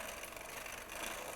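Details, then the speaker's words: Shimano front derailleur with the chain shifted onto the big chainring: a steady scraping hiss of chain rub on the cage, worse at the other end of the cassette. Cable tension is insufficient. "Now you can hear that rubbing. The tension clearly isn't sufficient."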